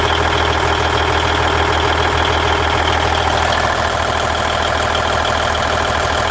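A heavy diesel idles with a steady knocking tick of about 200 a minute riding over the rumble, and the source is unclear.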